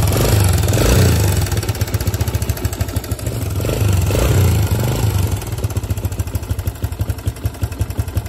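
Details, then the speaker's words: 2005 Suzuki DR-Z125 air-cooled four-stroke single at idle and blips, before tensioner adjustment: loud fast top-end clatter about four per second; owner suspects timing chain, runs and rides fine, no smoke. "I just shut it off but I said hopefully you guys heard that clattering noise I was telling you about"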